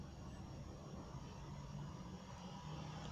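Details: Car whose idle drops and shakes with AC on because the AC vacuum idle-up valve isn't working; here AC off: quiet, even idle, rumble holding steady with no dips or stumbles.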